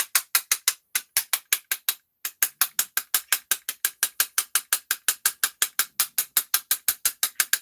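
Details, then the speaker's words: Arrma Big Rock RC truck gearbox turned by hand: sharp, regular clicking about three times a second; dirt and gear dust inside, suspected dirty or worn gears, not confirmed. "looks like it's gear dust yeah that's gear dust i think you can hear it definitely get some fuckingness going on there"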